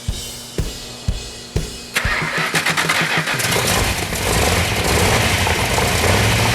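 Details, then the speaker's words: Freshly built 400 Magnum V8 for a 1972 Dodge Charger: slow cranking then fast even firing into steady strong run after timing, initially 180 out and retarded, was corrected; oil pressure and water temperature perfect, running great. "But it's running now, it's running great. We got all the oil pressure is perfect, water temperature is perfect."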